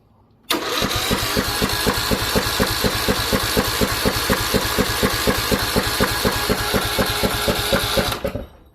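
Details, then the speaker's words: Craftsman T1600 mower with Briggs & Stratton 19.5 hp engine, stored outdoors all its life, starter soaked with WD40, old fuel in the bowl: steady cranking at about two compression pulses a second, never catches; no fuel reaching it, carburetor clog suspected, spark unchecked. "all right so no fuel not sure if it's sparking um we we can take a look at spark if you guys want see if we're getting any spark um but I'm pretty sure we're we're clogged in the carburetor not getting fuel down or the Bowl's just not full yet cuz there is some old fuel in here"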